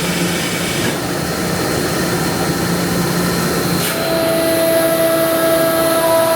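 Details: Ingersoll Rand SSR-EP60 60HP air-cooled rotary screw compressor, 98,485 run hours, set to modulate, tank at about 85 PSI, covers off: steady even motor and airend drone, shifting smoothly to a lighter note as it unloads; running properly.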